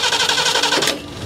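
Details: 1977 Ford Quadravan after 19 years sitting, new fuel pump and rebuilt carburetor: starter turns the engine over in quick even pulses for under a second without firing; cranks but won't catch yet.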